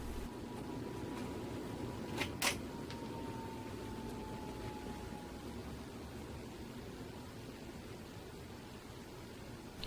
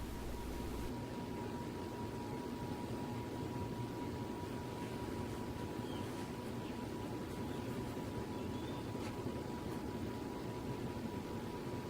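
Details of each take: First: Pompeo YG618-WH 52-inch outdoor ceiling fan at medium speed: very quiet, even run with a soft fading hum, no whine and no wobble; normal running. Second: Pompeo YG618-WH 52-inch outdoor ceiling fan on high speed, blowing air down: a thin steady whine sits above the soft rush of air; the motor whine occurs only on high speed.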